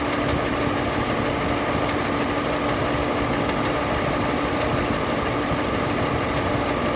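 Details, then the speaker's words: Chevrolet Sonic after an AC compressor leak repair (internal O-rings, system flush, new drier): a steady 800 rpm idle with an even hum and a faint constant tone, no clacking or cycling clunks. The compressor runs normally, vent at 3°C. "ตัวcompareก็เดินเรามีแล้วนะคะพร้อมตัดค่ะพร้อมทำงานค่ะเพราะแม่ตัดต่อปกตินะคะ"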